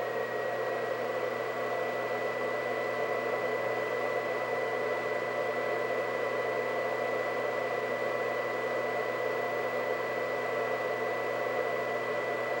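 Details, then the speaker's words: White Xbox 360 (believed Jasper) cooling fan at max speed: a loud, steady rushing blow with a constant high whistle. "so this is max fan speed for this thing it it is quite loud and i do admit that when i played it back in the day it was probably about five feet away from me next to the tv of course so maybe it didn't sound as loud being five feet away"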